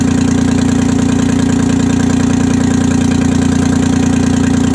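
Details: 1968 Detroit 3-53T two-stroke diesel after total overhaul, for an Ingersoll Rand 375 cfm compressor, cold start now lukewarm: loud, steady drone with even fast beat, no knocks or misses; normal running, good oil pressure, no leaks.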